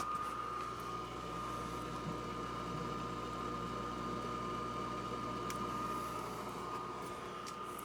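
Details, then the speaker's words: Dehumidifier condensate pump running normally as test water is poured in after the unit leaked and flooded the basement: quiet steady motor hum with thin even whine, no rattle or gurgle. Leak likely came from the unit overflowing its pan, not the pump. "So, condensate pump is working. And even if it wasn't, the water would have leaked out of the condensate pump, not out of the inside of the unit like it did."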